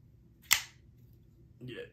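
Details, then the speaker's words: Folding knife under review, either the Bade Modern Designs Stunner or the AM8 Flix: one un-crisp snap as the blade flicks open, a dull thud, then a softer rattle from the bearings when disengaged. "do you hear like a uh like a a dull thud when it opens i know it's kind of a dull thud"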